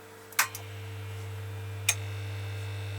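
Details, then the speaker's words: Korvet 100U-048S amplifier, new in box for 39 years, switched on: a click, then a loud, steady low mains hum from the power transformer and a relay click; loose, untightened transformer mounting screws are suspected, unconfirmed. "В общем и трансформатор безбожно гудит То есть я подумал что с трансформатором беда то есть он навернулся"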